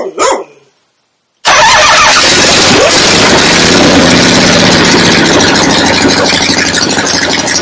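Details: 1975 Harley XLH Ironhead Sportster V-twin, fresh rebuild, first start outdoors on a temporary lawnmower gas tank: after a short gap it catches and settles into a steady even lope, no knock or clatter; oil return established, oil pump working, normal idle.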